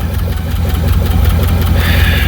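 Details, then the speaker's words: 1982 MSE Trans Am with a swapped Pontiac V8, just back from years in storage, at rough idle: a regular light knocking keeps time with the engine. Valve train knock suspected, not confirmed; valve covers may need pulling. "Sounds like it has a valve train knock."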